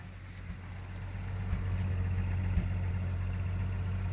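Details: Full-size Jeep at idle: uneven running with a soft recurring stumble about four times a second over a low rumble. Cylinder 6 misfires from an ash-fouled spark plug, likely from a bad valve seal.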